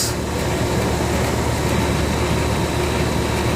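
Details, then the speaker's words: Newly installed Comfortmaker air-conditioning condenser: steady even hum with a smooth fan rush and no knocks, rattles or squeals; quiet, normal running. "oh yes nice and quiet"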